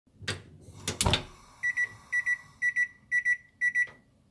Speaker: 결론적으로이 신호음의 정체는 가스렌지에 들어있는 건전지가 많이 소모되어 가고 있다는 알림음입니다